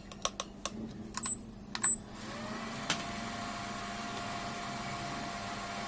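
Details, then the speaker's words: Hawkins Futura pressure cooker after fixing a no-steam problem by refitting the original screw, heated with hot water; a few light clicks then a steady soft hiss building from about two seconds, steam forming normally. "तो अब आपको ये जो steam है इसकी आवाज़ सुनाई देनी स्टार्ट हो चुकी होगी, और इसको प्रेस करने से आप देख रहे हो कि इसमें स्टीम चुटकियों में बननी शुरू हो चुकी है।"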